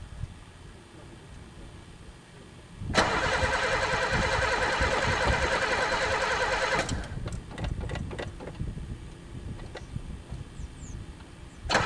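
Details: Pontiac unstarted for 3 years, gas dumped in the carb: starter spins the engine at an even beat for about four seconds but it never catches. Cranks, no start; owner suspects no spark, and possibly chewed wires, broken fuel lines or a stuck throttle.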